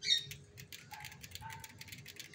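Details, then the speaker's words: Aluminium-frame 26-inch shaft-drive bicycle with Shimano Nexus 3-speed hub and mechanical disc brakes, wheel coasting: light quick even freewheel ticking, no rubbing from the shaft drive; normal. "bạn sẽ không nghe thấy bất cứ một tiếng lẹt xẹt nào của trục lát. Đấy, cái mà các bạn nghe nó hơi lẹt tẹt đấy là của lít nhé."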